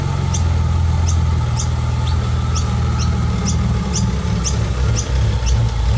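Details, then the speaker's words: R34 Nissan Skyline in for service before storage: deep, uneven, lumpy burbling idle that surges and dips, with a faint regular chirp on top; cause not evident. "listen to how lumpy this thing is"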